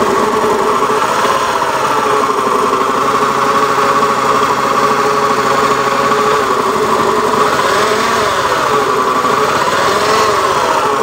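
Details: Honda Beat FI eSP Eco scooter idling: harsh, buzzy drone with slightly uneven pulsing; rough-running engine, cause not yet identified.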